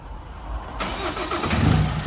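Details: Chevrolet (Chev) engine rebuilt after broken piston rings caused blow-by smoke, started the morning after a 1–2 day run-in and before a road test: catches within a second and settles into a steady, even idle with no knocks or misses.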